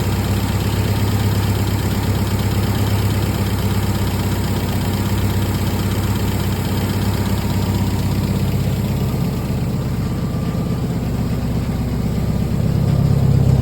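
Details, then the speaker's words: MGB during restoration, engine idling: steady, even, smooth idle with no misses or knocks and no exhaust smoke; the engine runs well. "Looks like we got everything running good, pairing like a kitten. Sounds good. Idling perfect. No smoke coming out of the exhaust."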